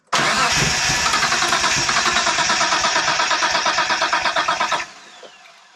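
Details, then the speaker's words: 1992 Dodge Stealth R/T Twin Turbo cranking in an even, quick churn for about five seconds without catching; no fuel pump heard running, no power to pump, though it starts on starting fluid, so ignition and timing seem good. "we didn't have a fuel pump we didn't hear a fuel pump running when we were starting it trying to start it but it would start on starting fluid which is a good indicator it's in time"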